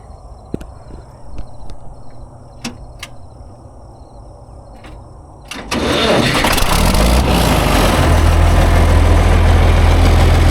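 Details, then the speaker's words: 1973 John Deere 6030 diesel tractor cranked at about half throttle: brief cranking, then it fires right up at once and settles into a steady, even idle of roughly three and a half beats per second; normal start. "I knew it. It fired right up."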